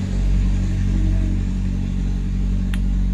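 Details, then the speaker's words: Megapro/Tiger-type single-cylinder motorcycle with full-wave ignition stator, after tracing and reconnecting ignition wiring: steady even idle with a smooth low thump, no misses or knocks; runs normally. "kalau minyak ada, karbu bagus, busi bagus, api bagus, motor pasti nyala, bro."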